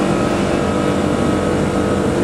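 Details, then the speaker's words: Digital scroll compressor under part load: a steady pumping hum that changes tone as the solenoid valve lifts the top scroll and pumping stops; normal load/unload cycling. "the scrolls when together are initially pumping but then as the solenoid valve lifts the top scroll the pumping ceases"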